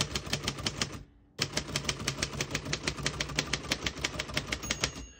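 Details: 1948 Royal Arrow portable typewriter typing. Crisp, even key strikes about three a second, a short pause, then steady typing with a light margin bell ring near the end. Working normally.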